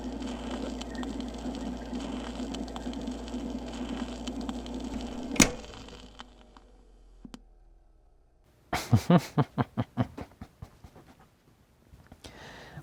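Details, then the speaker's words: 1978 Fisher-Price Model 825 children's plastic phonograph playing a Rolling Stones 45 rpm record: a slight wavering flutter in pitch and playback a touch too fast; speed not calibrated, unit not opened. "it's got a little bit of a flutter in it, and it's also a little bit too fast. So, yeah, it's definitely not calibrated in any fashion."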